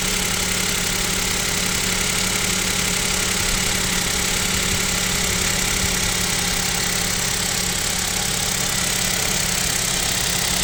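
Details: KIA Picanto 2, 1.0 G3LA, cold idle at about -7°C: steady idle with fairly regular light knock, roughly three per second; owner suspects piston knock and possible overhaul, unconfirmed.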